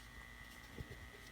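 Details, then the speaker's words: Zenith 5R086 tube radio on an isolation transformer, antenna connected, warming up: faint steady low hum with a thin high whistle and no station received; a leaky 0.0002 mica capacitor is suspected. "Starting to get some heater voltage here. And some hum,"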